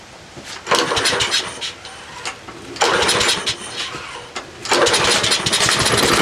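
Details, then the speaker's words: Troy-Bilt 12AV566N011 push mower after cleaning carburetor bowl and main jet: fires quickly on each pull and settles into a steady, even buzz without stumbling or surging; running properly. "purging now well it's run so good I decided to myself even an oil change"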